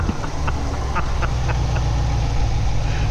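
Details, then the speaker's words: C7 Corvette V8 with new manifold and AFE intake, headers, X-pipe, stock exhaust: deep even burble at steady idle with a few light taps, no miss or knock; normal idle. "Everything's running smooth and good. Let's listen to this exhaust."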